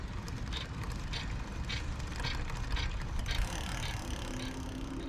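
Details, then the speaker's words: Lectric XP e-bike lifted off the ground, wheel spun by pedalling: light rhythmic swish about twice a second, following wheel speed, as the disc rotor rubs inside the brake caliper. Fixed by tightening a loose screw and adjusting the caliper sideways. "oh yeah so you could hear it and that's rubbing on the inside"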